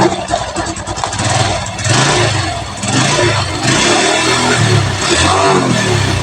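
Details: Honda Revo Absolute carbureted motorcycle that had died while riding with total ignition loss, running after ignition check: catches and runs, revving up and down cleanly in repeated blips with no misses; normal running.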